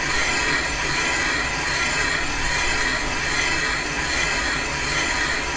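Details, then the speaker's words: Caterpillar D2 5J1113 starting-engine main bearing bore being machined on a pre-1920 gap-bed lathe: even continuous scraping hiss with faint high ring, no skip-and-scrape at the oil holes; the cutter hits consistently all around. "good that hit consistently all the way around towards the end"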